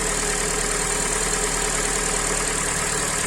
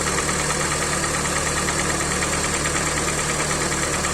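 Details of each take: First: Hyundai i40, 150k mileage, first start after rebuild with sleeved block, new pistons, repaired head and lapped valves: even settled idle with steady hiss, no tapping or knocking; engine healthy. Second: Hyundai i40, 150 thousand mileage, at idle: hollow, slightly uneven knock about three times a second, piston slap; endoscopy showed scoring in cylinder three, metal powder in oil, block to be sleeved.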